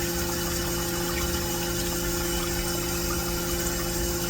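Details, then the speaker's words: Vevor milk cream separator after cleaning and reassembly, run with water; steady high-speed whirring hum with constant tone and water rushing through, no grinding or wobble, spinning properly as it should. "And that is what it's supposed to sound like. I'm going to call that a win."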